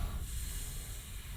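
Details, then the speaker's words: 1987 Mercedes-Benz Unimog 1300L ex-military ambulance camper: steady rhythmless hiss over low rumble from an air hose with a hole, looks dry rotted while most hoses are fresh; to be duct taped then replaced; air hose leak. "is there a hole in it yep it looks like there's a hole in it looks like it might just be kind of dry rotted"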